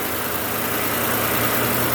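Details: V8 started via a compact jump starter after the battery had dropped to 9.7 volts: steady, even idle with a smooth low rumble, no knocks, misses or surging.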